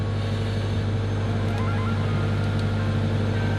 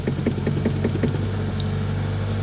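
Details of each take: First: Subaru WRX after installing a DW65c fuel pump and COBB Flex Fuel kit: a smooth, even idle with a steady low hum and no misses or knocks. Fuel pressure is good and AFRs look good; normal idle. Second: Subaru WRX first start after installing a DW65c fuel pump and COBB Flex Fuel kit, after priming: uneven stuttering puffs for about a second, then it settles into a steady idle. A rough start stumble.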